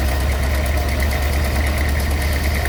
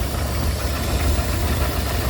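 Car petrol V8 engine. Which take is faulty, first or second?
first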